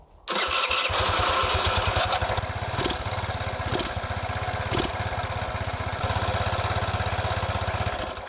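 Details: Engine bogs and stalls when throttle is added and runs ragged with pops and near-dying dips; rich mixture indicated by a black sooty plug. Piston kit, valve, ignition module, coil, plug and metering needle were replaced and the carb rebuilt without change.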